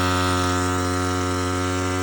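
Steady, even drone with a constant low hum and no knocks or misses; the pump engine is running smoothly after starting.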